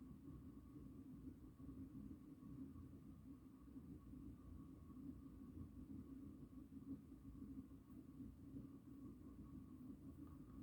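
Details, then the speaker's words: 36-inch Four Seasons Galaxy spinner ceiling fan on medium speed: a low, steady rumble with faint hum, bearings getting really loud; badly worn bearings, with worsening noise and wobble at higher speeds. "this fan has a lot of bad bearings um pretty much rumbles the ceiling actually like yeah like you can really hear it it's really loud already on low"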